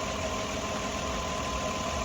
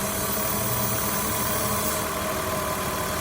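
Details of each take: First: but you know our RPMs are right where they should be and are most importantly I don't hear that vacuum leak and our math readings are spot on Second: 2002 Ford Escape rough, low, erratic idle with lean condition and check engine light; steady airy hiss and faint whistle from a vacuum leak at a collapsed, possibly misinstalled hose; pinching it brings idle back to normal.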